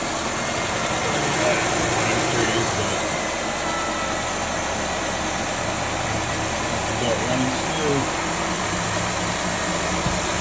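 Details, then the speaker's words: 2006 Chevy Malibu LT Maxx 3.5L V6 after water pump bearing replacement plus new pulleys, tensioner and accessory belt: engine idles smoothly and evenly, previous whirring/squealing noise gone. "Started her up. Noise went away."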